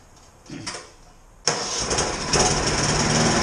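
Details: Sears snow blower (17 years old) after carburetor cleaning and repair, started indoors: small engine catches abruptly and settles into a slow, somewhat uneven idle with music behind; idle speed was turned down too low.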